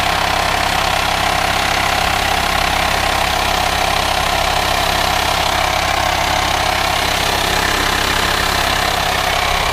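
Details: VW Transporter T5 LWB T32 2.5 diesel 6-speed camper conversion, newly owned with 1500 miles covered, no aux belt: steady idle with an even airy hiss from the engine bay, suspected vacuum leak, source not yet found.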